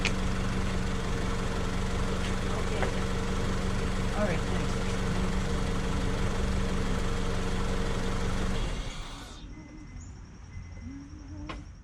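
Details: 2003 Honda Civic LX idling after battery replacement (Group 51) and a rev: smooth even low hum about eight seconds before dropping away; charging at 14.6–14.61 V, alternator working normally.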